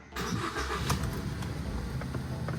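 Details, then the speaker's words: Ford Focus just after a new LuK dual clutch install, during the relearn procedure in park with no check engine light: engine cranks, catches at once and settles into an even idle without misses or knocks. Normal start and idle. "And at this point, if you have an issue, you would already have a check engine light on, which we don't. So, it says run the engine."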